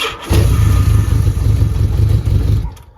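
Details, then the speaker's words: 1981 Yamaha XS1100 with charging issues, after replacing a battery that failed a load test by dipping to about 6 volts while cranking: a brief crank, then it fires at once into a steady, even low rumble with no misses. Healthy start. "so I took it back to advance got a new one put it on and this bike does sure enough fire"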